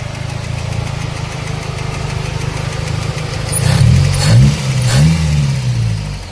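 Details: Toyota Baby Altis 2E petrol engine idling steadily after a new carburetor and tuning, with a light top-end ticking. Owner suspects a loose rocker pivot or valve clearance; a pivot was found loose. Number two cylinder is suspected weak. Valvetrain ticking from loose rocker arm pivots.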